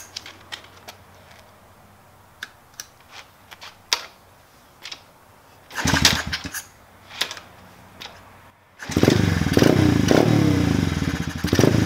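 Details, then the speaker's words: Peace Moto XB87 pit bike kick-started: brief coughs, then catches but rpm hunts and won't hold idle with choke open or closed; carburetor suspected, possibly idle/throttle screw adjustment. "it seems like it's not even holding an idol with the choke open or closed so we know that's issues probably coming somewhere from the carburetor"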